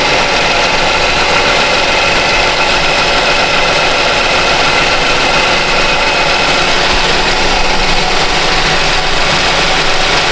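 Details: 2019 Kia Sedona 3.3 V6, about 70,000 miles, after oil leak fix and oil refill: steady, even idle with no knocks, ticks or misses; engine healthy and dry.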